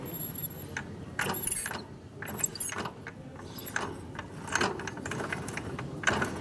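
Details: 2010 Italika GS 170 motorcycle that used much fuel and stalled when slowing: irregular metallic clatter and rough grinding bursts from the transmission with damaged bearings.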